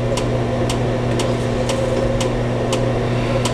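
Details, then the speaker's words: Older manual-lighting pellet stove shortly after lighting: steady blower hum with a light tick about every half second as pellets drop in, roughly three or four every few seconds; feeding normally. "I would say you know maybe three or four pellets trout down in there every few seconds"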